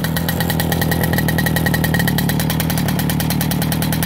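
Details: Ogar 205 moped after an engine rebuild: a rapid, even two-stroke buzz with crisp, regular firing and no rattles or misfires; the engine runs clean and healthy.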